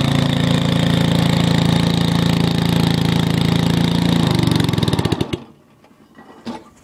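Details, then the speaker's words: MTD 5hp rototiller running after about 10 years, with new points and condensers and on seven-year-old fuel. Harsh, very loud rapid popping before it cuts out, with flames from the exhaust when throttling down. The muffler is rusted through and busted inside. "it is extremely loud as you can hear cuz the muffler is busted on the inside so I'm going to see if I can find another one for it"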